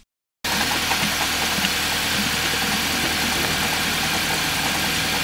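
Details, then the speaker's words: Engine idling with the cooling system full and the radiator cap off: coolant boils and vapor rises from the radiator cap neck as combustion pressure forces coolant out, pointing to a significant blown head gasket leak into the combustion chamber. "as the engine keeps running you can hear the coolant boiling and you see the vapor coming out of the radiator cap neck so that suggests that this has a blown head gasket"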